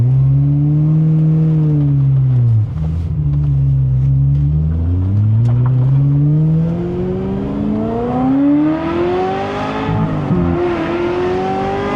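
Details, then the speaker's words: Ferrari 355 with Capristo exhaust, being worked hard to warm up: revs swing smoothly with a clean, even note and no knocks or rattles. The owner had feared failure after high-speed runway passes, but the engine now sounds normal. "Sounds like normal 355 noises to me."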